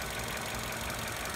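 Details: 2014 Vauxhall/Opel Corsa E 1.4 after replacing the coil pack and spark plugs, which fixed its misfire, jerking and clicking: a smooth, even idle with a steady low hum and no clicks or stumbles.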